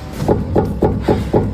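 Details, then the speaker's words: Volkswagen EA888 with intermittent EPC light (P0122/P0222) and chassis noise: six quick sharp metallic clunks from the worn left tie rod end ball joint knocking over uneven road; control arm bushings also worn. "最主要的这个异响来源呢是左边的这个输拉杆球头，里面磨损到一定的间隙，行驶在不平的路面上，它会发出金属的碰撞声。"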